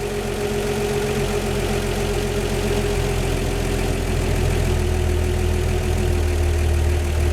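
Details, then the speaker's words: 1949 Chevy 3100 six-cylinder idling smoothly during warm-up at its 3000-mile service, with dual Carter Weber 32/32 progressive carbs; electric chokes open progressively, easing the idle down; valves not rattling. "you hear them electric chokes they're opening more and more which is kicking that idol"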